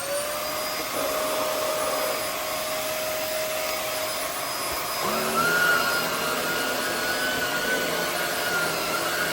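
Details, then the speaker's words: Hoover WindTunnel Air fitted with a new Shark rotator motor, replacing an old motor that sounded poor. A steady high whine sits over an even rush of air, with no rattle, scrape or wobble. The motor runs healthy. "So yeah, this thing has a Shark rotator motor."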